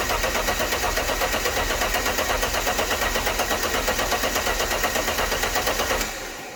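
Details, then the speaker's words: Alfa Romeo GTV engine, not run in 18 years, used fuel pump from donor car fitted, engine harness disconnected to crank and circulate oil: even, regular cranking about six seconds, no knocks or grinding; sounds healthy. "It all sounded okay when cranking, so let's connect this back up again."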